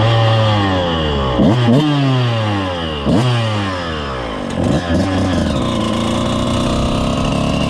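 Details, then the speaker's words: 2000 Suzuki RM125 two-stroke after carb cleaning and tuning, revs up and drops back, stumbling and flattening partway up: mid-throttle hesitation; owner plans to downsize jets rather than raise the needle further; cause suspected. "ah but yeah she still got some hesitation to her um a mid throttle so right there uh I don't want to go up too much more on the needle so I'll probably downsize the Jets"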